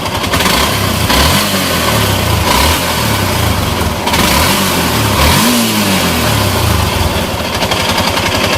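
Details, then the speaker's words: Yamaha Exciter motorcycle before engine repair: idling and revving with a loud, harsh mechanical clatter over the exhaust; several parts were replaced and it ran silent afterward. "เป็นการถ่ายทำก่อนซ่อมนะครับรถเอ็กไซเตอร์กับอันนี้มาเครื่องดังกับก็ถ่ายให้ดูก่อนให้ฟังเสียงดูครับกับเสียงดังนะครับ"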